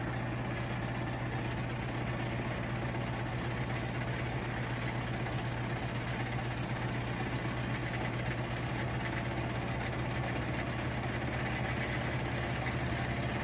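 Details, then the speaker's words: Whirlpool Duet steam washer on a normal cycle with a heavy load, ramping into spin. A steady low hum and even rumble with slight load vibration, no knocking or scraping: normal spin cycle. "yup got the washer on the test it's on the spin cycle right now at williams house fixing to ride and here it goes it's ramping up you hear it it vibrates a little bit a little like it's a big load"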